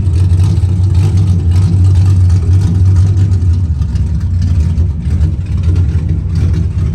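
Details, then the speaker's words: 1991 Chevy Camaro running after dropping the fuel tank to fix a year-long fuel pressure problem; fuel pressure restored, deep steady rumble with even revs and no misses, knocks or hesitation, running the best it ever has. "lo and behold after everything was said and done I'm getting fuel pressure um it the car is running the best I've ever had it running"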